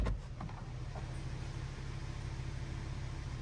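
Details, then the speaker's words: Nissan Note automatic idling smoothly with a steady low hum and no squeak; engine running normally. "Completely silent, so it's just the engine running now. So, that's okay."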